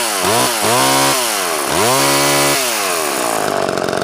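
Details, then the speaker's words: Mid-1980s Homelite Super EZ Automatic chainsaw after carb rebuild, cleaned fuel system, new fuel line, filter, intake gasket and spark plug: high two-stroke buzz revs sharply and settles cleanly, manual oiler working, good idle; normal running. "Okay. Running great now, and the manual oiler is working good as well too."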